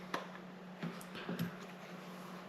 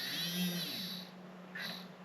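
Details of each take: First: WPL 6x6 RC crawler bought broken at 50% off, tested after the motor was found unscrewed and refitted; short bursts of high, even electric whine start and stop cleanly with each throttle blip, so the motor and drivetrain are running normally. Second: WPL 6x6 RC crawler, bought broken on clearance: a whiny electric motor hum with an uneven buzzing rattle that comes and goes as it spins; the motor is loose in its mount.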